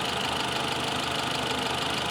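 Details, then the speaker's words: 2018 Mitsubishi Outlander with code P0113 (intake air temperature sensor 1 circuit high, bank 1) that was running rough: now an even, steady idle without misses or hunting, check light off; fault traced to a missing ground from the control board. "you can see now it is running okay the checking light is off and it's running okay so it's a ground issue and the control board is not providing that ground"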